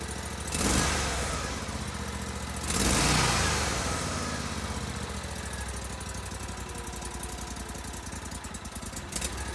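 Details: GatorTail 35GTR mud motor, hot, with Backwater Performance Systems exhaust, baseline before carb, intake and exhaust upgrades: two short throttle blips rise and fall cleanly, then a loose, lumpy but steady idle with no knocking or rattles; running normally.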